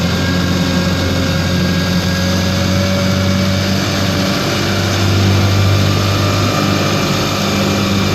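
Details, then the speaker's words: 1955 Johnson QD-16 outboard, in gear at high speed: strong, steady high-revving drone with an even buzz, no misses or surging; runs well at high speed but starts hard, especially in neutral, and idles poorly. "so there have it uh it's running fairly well of high speed um runs I'm quite pleased with the high speed"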